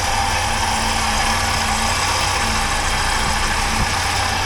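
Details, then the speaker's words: 1980 Triumph TR7 engine running after exhaust leak repair, heard through a stethoscope on the upper engine near the valves: even, smooth hum with no knocks or ticks; normal, healthy engine. "it's very quiet so and then in the uh like up where the valves are and stuff all nice and quiet so things are good there"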